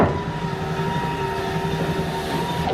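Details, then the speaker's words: 1980-1996 Ford Bronco/F-Series power window after the window motor repair and reassembling the door: an even motor hum and steady whine as the window travels up and down, with no clicking or grinding, healthy. "And there's the window. All the way up. That's all done. There you go. All the way down."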